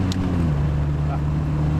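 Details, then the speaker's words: Austin Healey 100/6, warmed up, driving in hills after overdrive solenoid trouble: steady engine drone drops smoothly in pitch as overdrive cuts in instantly, no clunk or slipping; normal overdrive engagement. "Yeah, beautiful. You can hear the engine note change a little bit there. And it's instant."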